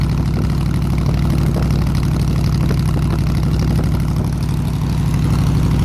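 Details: 302 V8 air-compressor engine, warm at 160 degrees with 9 psi fuel pressure, on re-ended plug wires: deep, steady rumble holding an even idle, no misses, knocks or stumbles; normal healthy idle.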